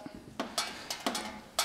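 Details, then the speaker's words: Wood stove with a fire going, heavy rain leaking in from the top: irregular sharp ticks with short sizzling bursts as water drips onto the hot stove, still dripping after 18 minutes. "Well, it's raindrops, and this is all filmed, and 18 minutes and still dripping."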